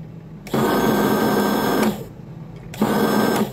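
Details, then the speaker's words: Air-conditioner condensate pump, newest Kingpump version with its own power-supply board: the removed motor is bench-tested at the breaker with two short runs of clean, steady electric hum that starts and stops sharply, no grinding or rattle. Motor runs normally. "rồi bây giờ mình sẽ đóng bở cầu dao này mô tơ hoạt động bình thường này"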